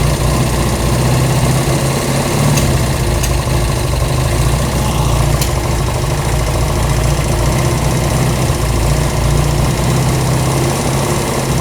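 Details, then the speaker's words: Honda CB200 vintage twin on an auxiliary fuel tank, during aftermarket carburetor tuning: a steady, even low burble holds without hunting or misses. Normal idle, though one side's idle may still need adjusting up. "That sounded pretty good. Now, what we want to make sure is we want to make sure that we have a nice idle like right now."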